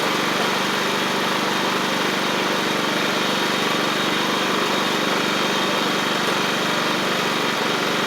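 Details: Free John Deere L110 riding mower after fuel pump replacement; the old pump flooded the engine, likely because its cam lobe kept it from closing the check valve. Steady, even run with no misses, surges or knocks; normal running.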